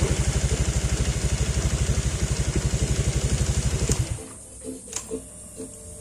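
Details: Honda Vario 125 LED scooter after replacing the faulty CKP sensor that caused stalling, no-start and MIL: steady, even single-cylinder putter at idle with no misses, then switched off cleanly; sounds healthy.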